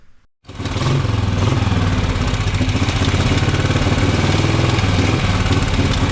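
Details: Newly bought Norton Model 50 single, just got running: held at high, ragged, uneven revs and won't settle to idle. Owner suspects a gummed-up carb, worn points and an aging coil; poor running.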